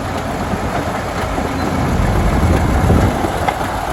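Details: 1951 D8 2U dozer diesel, sitting in a barn since about 1990 with the big motor once stuck, running on its own power for the first time since: a deep, heavy clatter beating about three to four times a second, holding steady and even.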